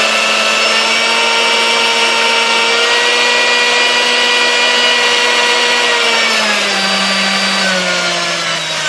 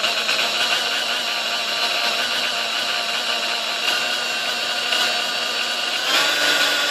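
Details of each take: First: Vintage Sunbeam Mixmaster Model 1-7A after cleaning, fresh oil, new grease and replaced speed-control resistor: smooth steady motor whine dropping in pitch as speed is turned down, slight skipping only at lowest speed; runs much better, normal running. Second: Sunbeam Mixmaster model 1-7A (235 W) before service: motor hum wavers and surges instead of holding steady at low settings; it struggles at low speeds and was fixed by replacing the speed-control resistor.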